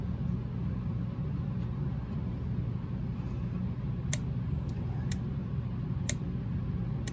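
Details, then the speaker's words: Williams Taxi pinball MPU board after repair and FET installation, solenoid test: sharp clicks about once a second over low hum as the AC select relay drives the solenoid banks; each coil fires cleanly, normal solenoid and relay clicking. "this solenoid is the ac select relay so you may be able to hear it clicking on as it drives the seaside of the solenoid banks"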